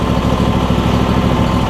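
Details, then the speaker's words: Replacement Briggs and Stratton V-twin on a John Deere E140, unrun for probably at least three years, at idle: even, steady putter without misses or knocks; slight smoke, owner suspects oil in the muffler; normal idle. "running excellent though it's running really good which is awesome"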